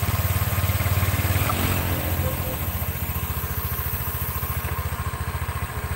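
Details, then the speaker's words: Red Honda Vario scooter idling after the CVT repair: even, steady pulsing of the small single at about three and a half beats a second, with no rough grinding rattle from the drive, now smooth. "Hai Oke Bro ini suaranya sudah halus ya enggak kedengaran kroyok proyek-proyek gitu"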